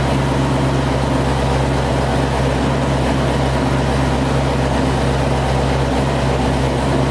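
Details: Chevrolet Corvette C6 V8 first start after failed lifter replacement: steady, even idle hum with no ticking or tapping; warming past about 220°F with air in the coolant; smooth, healthy idle.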